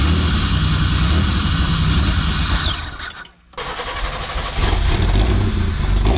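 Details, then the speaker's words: 1985 Pontiac Fiero first start in 19 years on starter fluid, before fuel system repair: fires and runs rough a few seconds, dips nearly out, picks back up, not getting steady fuel; 60 psi oil pressure at startup. "all right I can't believe that that worked out pretty well so I'm gonna try to figure out the fuel system that way we can get it run longer but actually had 60 pounds of oil pressure right there at startup"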